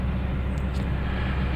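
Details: Toyota Tundra at idle, stalling and smelling rich: deep, heavy, slightly lumpy rumble; scan tool shows air mass meter reading far too high and high long-term fuel trims; mass air flow sensor found inaccurate and replaced.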